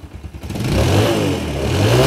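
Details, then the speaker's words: Yamaha Jupiter MX motorcycle engine after a full engine rebuild, revved for the owner: it snaps up cleanly and the note rises and falls evenly with no knocks or rattles; normal, healthy revving. "nếu như ban đầu cho chủ xe nha em nghe tiếng máy luôn nha"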